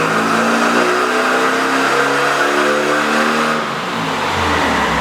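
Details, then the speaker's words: Neglected 1600 dual-port air-cooled VW Beetle flat-four on dyno, timing raised to 26° initial (about 30° total) with slight carb adjustment: pulls hard under full load, note rising then easing; 48 hp, healthy and strong. "48 so timing makes a huge difference timing and a little bit of carb adjustment"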